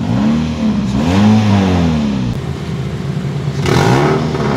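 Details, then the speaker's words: 2008 Toyota Yaris E manual: engine blipped, rising and falling drone with some hiss at the top; revs freely and sounds crisp, but a small leak in the exhaust's middle section is suspected, said to be easily fixable. "Suaranya masih garing. Tapi memang kayak sepertinya ada sedikit kebocoran di perut knalpot."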